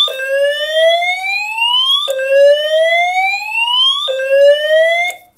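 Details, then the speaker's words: Simplex 4010 fire alarm panel multi-tone horns after re-actuation: rising whoop every two seconds, one sweep cut off early in a double-skip catch-up, horns slipping out of step; cause unknown. "and then the horns will then do like a double skip catch-up and I don't know why that happens"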